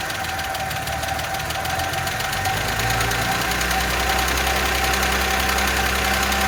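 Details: Audi A6, engine restarted after earlier lifter repair and oil/condensate found under valve cover; fast even ticking over idle, hydraulic lifters still pumping up with oil, a whistle also appeared; knock fading gradually, lifters possibly damaged by oil starvation.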